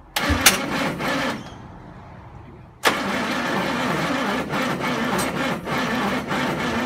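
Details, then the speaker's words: 1974 Ford ZG Fairlane with long-dormant engine, spark confirmed: starter cranks, engine catches with sharp pops and uneven firing then dies. "we had to go firing it off the other day and we're getting just backfiring through the carbie and i thought it might be just some um vacuum issues"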